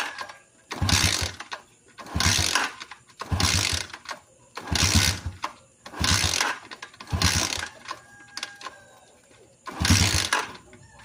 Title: Motorcycle hard starting #motorcycle #hardstarting #motor